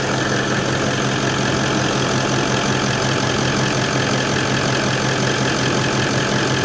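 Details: Toyota 79 Series LandCruiser diesel, warm with thermostat open, idling in the workshop after turbo replacement: steady, even light clatter with no whistle or rattle; sounds healthy.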